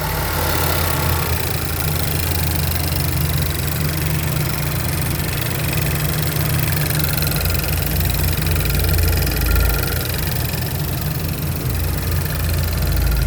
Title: what is this clicking sound? 2012 Regal GS